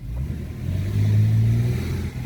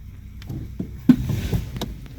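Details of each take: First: 2014 Toyota Sienna after tightening loose top engine torque mount: drive, acceleration, braking and reverse with smooth engine note and no clunk; fixed. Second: 2014 Toyota Sienna: single dull front clunk, sometimes heard front right, when pulling away gently from a stop or shifting park/drive/reverse, caused by a loose top engine torque mount; tightening it cured the noise.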